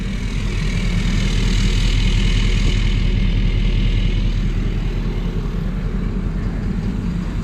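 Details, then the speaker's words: 350 V8 in a plow truck, still running healthy. Deep, even, low idle rumble with a steady beat and no ticks or knocks; normal V8 idle. "So yeah, here's the people have been asking about the 350 in other videos as well. 350 still going, still nice and healthy, as you can hear."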